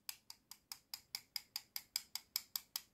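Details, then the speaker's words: Lithium-ion cell tapped with a metal object: about five quick solid clicks a second with no hollow ring, the full sound of a genuine, heavier cell, whereas a fake, lighter cell sounds hollow. "tok Daha dolu bir ses geliyor"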